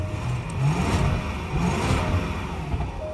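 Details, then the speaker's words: Supercharged V8 Range Rover with 57,000 miles, free rev after start: the engine revs up and settles cleanly with a smooth, strong tone and a little backfire, no missing or knocking; healthy. "Ooh, we hear that little backfire there too. Very, very nice."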